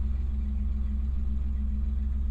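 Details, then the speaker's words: 1999 Pontiac Firebird, just started: steady low idle with an even, smooth pulse and no knocks or misses; runs really good, normal idle. "and that it runs runs really good"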